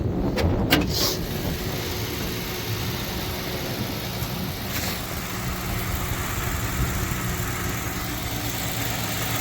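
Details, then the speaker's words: 2011 Ford Crown Victoria LX V8, 105,000 miles, warming idle after two to three weeks sitting, hood open with mic close to the engine: steady, even murmur with no misses, knocks or ticks. No codes or check-engine light. Normal idle. "uh currently at 105,000 right now so as you can tell she's running smooth"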